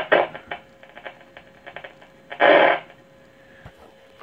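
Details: 1937 Zenith 6-S-256 tube radio during restoration, first power-up without dial belt: quiet hiss with irregular crackles and louder static bursts; tubes light and speaker works.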